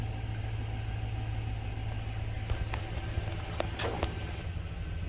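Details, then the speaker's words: 2006 Chevy Silverado, towed in with no start after a speaker install; running again after the missing fuse was replaced. A steady low idle rumble with an even rhythm and no knocks or misses; the engine idles smoothly. "she starts and runs let's see if we can communicate now"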